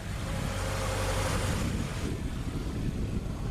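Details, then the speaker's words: Engine idle at startup after an engine flush and refill with different oil: smooth, even low rumble with no top-end ticking. The previous lifter tick is gone, and the wrong oil is blamed for it. "that's awesome yeah wow guys there's no ticking anymore it's so much quieter"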